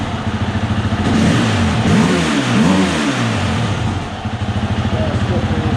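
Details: 2020 Husqvarna FE 350 with 40 hours, after replacing the in-tank fuel filter and screen: steady single-cylinder idle, throttle blips rise cleanly and drop back without the previous bogging or stalling; normal idle and revving.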